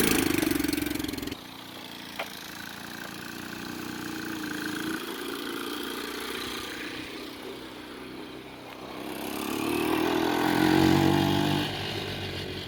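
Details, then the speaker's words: Hammerhead 110cc go kart that sat almost a year, after battery charging, carburetor cleaning and refitting a used air filter: the small single revs up and settles into a steady, even run with no knocking or misfire. "All right, so we got the battery charged up, the carburetor cleaned out. New, well, there's an air filter on there. It's not new, but we're going to start it up right now and see if it'll run."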